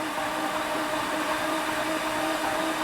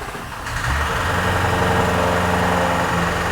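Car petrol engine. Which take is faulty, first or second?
second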